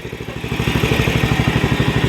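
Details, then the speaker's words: Briggs & Stratton Vanguard on a hydrostatic mower after carburetor work, slightly low on oil; steady, even thump around twelve beats a second with no misses or knocks; normal running. "These Vanguards got a nice sound to them, though, for sure."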